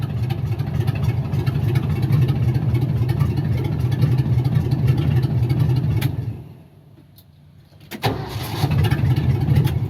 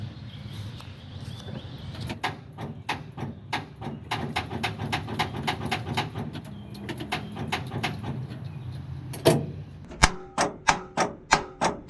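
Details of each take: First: 1978 Ford F-700 after fitting a 1975 Ford F-250 starter: engine runs, shuts down, then cranks briefly and catches straight back to a smooth idle; new starter working. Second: 1978 Ford F-700, key turned: solenoid triggers, but the starter only clunks and clicks in sharp bursts and does not crank; the bad starter is replaced.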